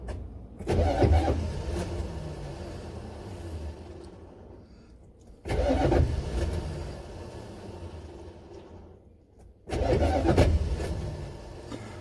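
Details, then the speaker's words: Buick Electra 5.7-litre diesel cold start on ether: three crank attempts, each a sharp kick and grind as the starter throws out every time the engine fires. Battery dead; cause suspected, not confirmed. "every time the engine gives a kick it just pops up starter raw out"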